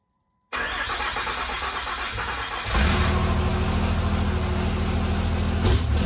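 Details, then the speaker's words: 1500hp Cummins diesel project, first run after plugging in the injectors and before the hot retorque: it catches into a steady heavy rumble, revs up around three seconds, and runs evenly without knocks. Normal running. "[Music] well good news is runs bad news is air press kicked on"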